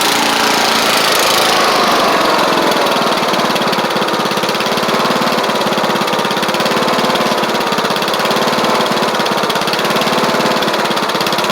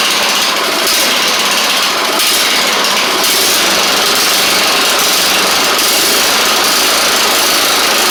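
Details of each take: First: Troy Bilt Bronco riding mower, Kohler Courage single-carburetor engine, after deck, spindle and drive belt work: steady, fairly even buzzy idle with no hunting or surging; normal idle. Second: Troy Bilt Bronco riding mower, Kohler Courage single-carburetor engine, after reworking bent choke butterfly that wouldn't close: busy, uneven, wavering engine note never settling; better but still not great, choke spring appears broken and not returning; rough running from faulty choke.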